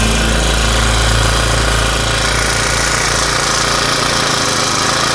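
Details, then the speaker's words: Honda GX35 small four-stroke brush-cutter engine, just repaired with a cylinder re-sleeve (liner) and warming up: a smooth, quiet, even buzz at about 1500 rpm idle, no knocks or misses. Normal idle. "เดี๋ยววอร์มเครื่องก่อนนะครับเสียงเงียบกริบเลยหนึ่งพันห้าร้อยรอบต่อนาทีก็เดินเบา"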